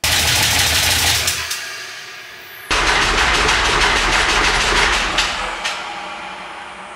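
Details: 6.0 L LS V8, first run on a stripped factory harness from a 2000 Silverado: harsh rapid metallic clatter from the passenger-side bank over rough running; dipstick caught the windage tray and was struck by the crankshaft.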